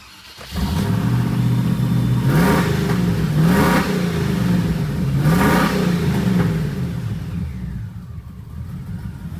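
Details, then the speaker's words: Land Rover Discovery after replacing spark plugs, O2 sensors, MAF sensor and throttle position sensor: engine catches and revs up and down cleanly with a steady rhythm, no misfire or knock; sounds much better, oil coming out of exhaust. Normal running. "well i'd say the engine sounds a lot better"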